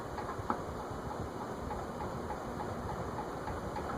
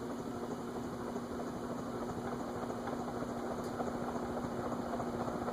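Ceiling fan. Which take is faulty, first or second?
first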